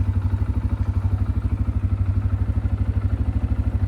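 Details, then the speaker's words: CFMoto CF625 ATV at about 1,949 km in neutral, sometimes when cold: rhythmic low clatter about three times a second, like a compressor sound, with a knock when engaging gear; cause unconfirmed: idle clatter. "böyle sanki rampa aşağı gidiyormuş da bir ses çıkıyormuş gibi kompresöre biliyormuş gibi ses yapıyor sonrasında vitesi alırken bir vuruntu geçiyor"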